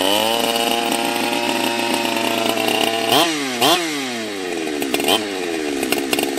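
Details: Husqvarna 365 Special 52mm build on about its 3.5th heat cycle: high-revving two-stroke whose pitch sags and surges with each throttle blip and never settles, unstable running with the carb still out of tune.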